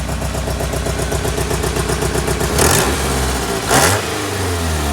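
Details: 1995 Honda Accord four-cylinder that sat for months and started, now won't start; uneven, stumbling idle with irregular pulses and bursts as it tries to catch, sounding like a misfire, cause unclear; a new engine is being built for it.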